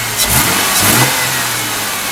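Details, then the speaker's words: 2001 Ford Mustang 3.8 with new EGR valve, wires and plugs and old coil pack: fine on idle and gradual throttle, but sudden throttle blips make the revs stumble and the engine shake, a misfire. "But if I suddenly hit it hard like this, you can hear this car kind of freaking out. It starts shaking and I don't like it."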